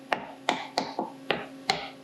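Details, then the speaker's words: Seven sharp, clean taps in about two seconds on a titanium plate being faced to .375 in, after the clamps were snugged a bit more. Each rings solid with no rattle, so the plate is tight against the fixture, unlike the earlier hollow sound. "I'm going to tap it a little. Now hear how the piece is up against the plate tight."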